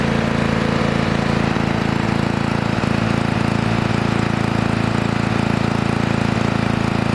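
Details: Restored 1982 Lawn Boy Scamp 4503 20-inch push mower, new engine parts breaking in, 32:1 premium two-stroke mix: steady even two-stroke idle with firm regular beat, no misfires or hunting; running healthy.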